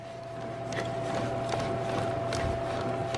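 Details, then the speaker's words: Replacement manual transmission turned by hand out of the car: quiet with faint soft ticks, less play, unlike the removed noisy gearbox with a failed input shaft bearing and 5th gear popping out. "how you don't hear anything there's also it doesn't feel like as much play in the in the way that this feels"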